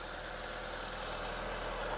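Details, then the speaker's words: Mitsubishi Lancer GSR 4G92 engine, rebuilt last week, with a new bypass tube, restarted to check for O-ring leaks; steady, quiet, even idle with no knocks, ticks or hiss: normal idle. "Makakalik start yung makina ni Bossing."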